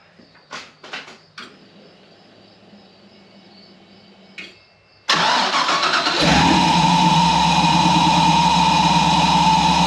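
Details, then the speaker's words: Mini truck after the in-tank fuel pump upgrade: a few clicks, a short crank, then a quick catch into a steady, even idle. The new pump is quieter than the old one. "It's not as loud as it was, so that's pretty sweet. So see if it fires up on the new pump."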